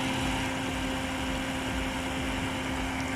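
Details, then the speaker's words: Eberspächer Hydronic 30 kW heater on test bench, CO2 setting never changed from factory; relay clicks, fuel pump and combustion fan start with a smooth steady hum, but no burner roar or ignition; fuel later found not coming through. "okay so we will try to start okay we can hit the relay the pump is starting the fan is starting"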